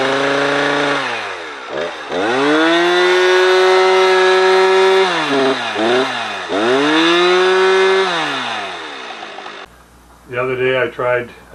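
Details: Husqvarna 455 Rancher two-stroke chainsaw on Husqvarna premix replacing owner's 50:1 mix. Climbs to a steady high scream, then sags and dips repeatedly under cutting load.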